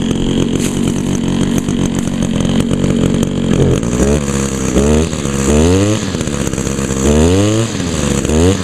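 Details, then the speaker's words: 2002 Echo SRM 2400SB trimmer, carburetor rebuilt last year, unused since October/November; smooth steady idle then crisp revs climbing and dropping cleanly without bogging; started up well, normal idle and revving. "not too bad started up pretty good"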